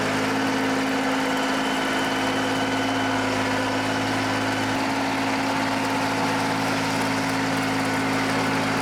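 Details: John Deere 350B bulldozer, rebuilt engine's first start after install, at break-in low idle: steady, even low diesel idle with constant hum, no misses, knocks or blowby chuffing; normal healthy idle.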